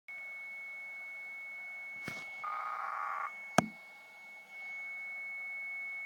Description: Receiving this strange continuous noise on 458.550 NFM.